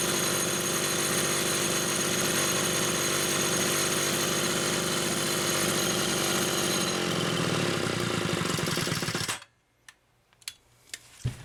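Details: Chainsaw with Phelon electronic coil, test-running a repaired SDC carburetor (carb 1), noted rich on the high side: a crisp, even two-stroke buzz holds steady speed for about nine seconds, then shuts off cleanly. Healthy running.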